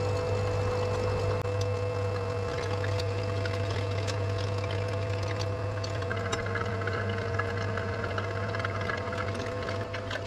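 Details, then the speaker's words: Twin rear-mount-turbo Ford Crown Vic 4.6 2V, oil lines loosened to drain the turbo oil system: steady low scavenge pump drone with gurgling, slurping wash as the pump sucks air past the oil rather than pulling oil uphill. "what's happening is it's just sucking air by the oil it's not actually sucking the oil uh uphill which is i guess to be expected"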